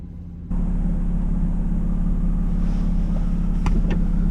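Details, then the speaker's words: Suzuki XL-7 with the muffler missing: deep, blatting low rumble that pulses loud with every firing and no muffling, very loud open exhaust. "and just like that we are back in the xl7 with the super duper loud missing exhaust this is that oh it's so loud so loud"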